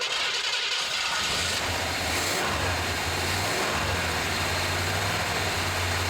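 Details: 1978 Chevy C10 square body, first start after adding 4-5 gallons of fresh gas: settles into a steady, even low rumble at idle with no misses, knocks or hunting; running smoothly.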